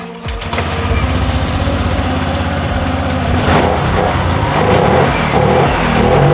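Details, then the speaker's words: Fuel-injected motorcycle after throttle body service and TPS check, fuel line primed by cycling ignition five times, before ECU reset. Engine catches and settles to steady even beat, smooth light revving, no knocks or misses; now normal. "suaranya udah normal Enak ya yang tadi suara kedengaran suara sensor TV ya di kayak sensor TV jadi itu yang kita service juga tadi"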